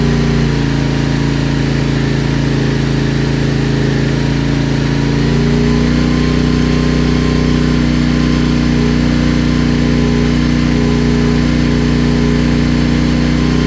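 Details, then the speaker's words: CFMOTO Ibex 450 single, warm, idling after TEAM MSC ECU tune for surging: steady, even beat with only slight hunting; idles smoother than before the tune. "It does seem a little smoother. I mean, it looks like it's bouncing around on the tack a little more or a little bit still, but it definitely sounds a lot more uh sounds like it's not bouncing around near as bad."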